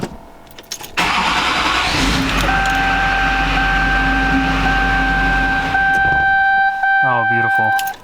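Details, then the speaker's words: 20-year-old Duramax diesel truck, first start after repairs, no DTCs: cranks, catches, runs briefly with diesel clatter then dies within seconds; engine stalls right after starting, owner suspects fuel loss, fuel pressure read 5600–5800. "it seemed like it just well we lost fuel immediately I don't know I guess let's look at fuel pressure"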